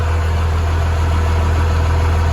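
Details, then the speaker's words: 1996 Chevrolet Suburban with a Cummins diesel swap, cold start after the wait-to-start light: a deep, even idle with a steady low rumble, no knocks or misses, and a little light haze of smoke. Normal cold idle. "Since it is cold, it will smoke just a little bit of haze. You can kind of see in the shop there's a little bit of haze, but"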